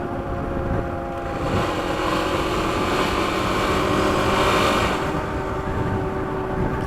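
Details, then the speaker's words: Kawasaki KLX300 with new chain and 47-tooth rear sprocket, riding on pavement: a droning howl over the engine that swells with road speed, normal for Dunlop Geomax AT81 off-road knobby tires. "Hear the tires howling."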